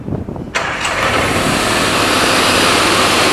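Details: HotJet II trailer-mounted jetter restarted with one click after being switched off; engine catches at once with a single crisp start, then settles into a steady even roar with no misses or knocks; normal engine start.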